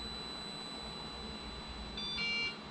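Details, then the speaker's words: LOSI ProMoto MX RC motorcycle powering down after bench test, flywheel off and drag brake engaging: faint high-pitched beeps from the transmitter, a short one then a louder pair, over a quiet hum, warning not to operate. "you can hear that drag brake kicking in remote's beeping yellow telling us not to operate it we're going to let it power down"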